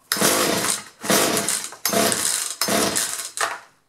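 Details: Two-stroke chainsaw that would start for a second then quit, good spark and compression, fuel lines previously disturbed by owner: catches in five short bursts, revving then dying each time. Fuel starvation from misrouted fuel lines.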